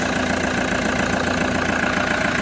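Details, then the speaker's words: Toyota HiAce idling after replacing non-charging alternator and new drive belt: steady unchanging idle drone, no belt squeal or chirp; battery light off and charging reads normal, engine running healthy. "I-read natin. charging normal na mga boss. So okay na, goods na."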